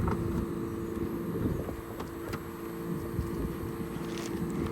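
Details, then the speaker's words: Fujitsu ductless mini-split condenser after installing Fujitsu warranty parts for a unit that was blowing fuses and tripping breakers: steady low compressor hum with smooth fan rush; about 2.3–2.4 amps per leg against a 12 amp rating, normal running. "It's going to slowly go up as it ramps up and down. But we're rated for, what are we rated for? 12. So nothing to worry about there on amperage."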